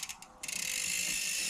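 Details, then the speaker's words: Bicycle with newly installed Shimano Deore crankset, pedals not yet fitted: soft clicks then fast even ratcheting buzz as cranks spin; drivetrain running smoothly and freely. "Sounds good. Working good. And I just got to install some pedals on there and"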